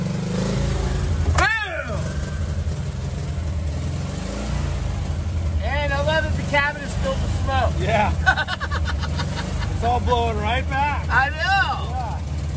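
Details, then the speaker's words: 1985 VW Vanagon Westfalia Weekender parked since about 1999, after starter fluid, throttle spring off, now running on gasoline: low, steady idle with even beat, no misses or knocks, chirpy noises over top; idling normally. "okay throttle spring is off it's a lie progress all right crank it up that's running on gasoline it's idling"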